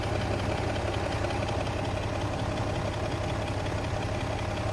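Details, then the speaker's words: Ford Raptor 3.5 twin-turbo engine at idle: uneven rattling knock about three per second through the engine note, also noisy at start-up; timing chain sprocket and camshaft noise, fixed after the repair. "这个链轮呢响的还是比较严重，不光启动的时候它的异响，现在走怠速刚内爱的链轮凸轮轴跳动也是很严重，它一直在响。"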